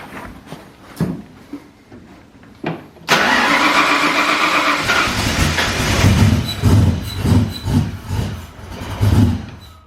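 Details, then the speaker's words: Foxbody Mustang notchback on new custom wiring and Holley Terminator X EFI, first start attempt: slow cranking, catches, runs ragged with uneven surges and sags, then fades out; cranks and fires but won't keep running, tuning still needed. "Alright. Let's see if she starts. She wants to."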